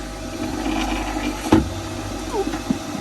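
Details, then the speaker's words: Nordhavn 47 boat, by the sump pump, 30 °C outside: steady low hum of the air conditioning pump running under knocks and handling noise, no rattle or surging. Pump running normally. "noise you can hear is this air conditioning pump running, because we're currently in Cowes on the Isle of Wight, and it's 30 degrees outside, so I'm sweltering upstairs."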